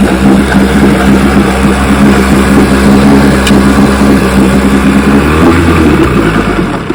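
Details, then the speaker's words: 1960 Johnson 10 hp outboard after gearcase rebuild, carburetor high and low speed needles just turned in: loud two-stroke buzz that sags and stumbles as revs change, with a lean sneeze at low idle. Hesitation on acceleration. "Got a little bit of hesitation when I accelerate, but lean sneeze at low idle."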